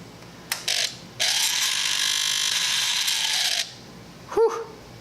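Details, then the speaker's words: Kawasaki Z1000 sub-throttle servo on a replacement used throttle body: a harsh buzzing ratchet for a few seconds as it drives, ending in a click; it opens fully but sounds bad, and many are reportedly bad. "Still sounds like crap, but she opens up all the way, so that's something."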